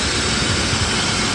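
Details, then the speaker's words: BMW E34 M50 after replacing the belt tensioner mechanism and tensioner rollers: steady, even idle with a smooth hum and hiss, the cricket-like chirp from the tensioner gone. "как слышите звук пропал мотор работает как часы"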